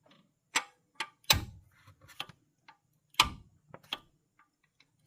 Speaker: It's mushroomed. It's mushroomed. That's why it's not letting that pin fall into place.